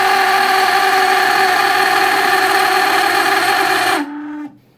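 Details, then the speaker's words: Shop vac screaming at a harsh, high, steady pitch with a little smoke, then spinning down quickly when switched off; the worn top brass motor bushing is the cause, fixed by swapping in a 608 sealed bearing. "is the sound of a shot back not doing well you've got a little smoke coming out there"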